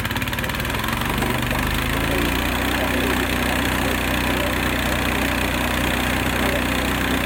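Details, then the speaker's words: Small single-cylinder engine on a Frontier OS18 sawmill, started cold on choke after a blade change: it runs fast and steady with a slightly uneven beat while cold. Otherwise normal cold running. "All right, we're going to crank this thing up and see what it sounds like. Choke. Uh-oh, a little cold."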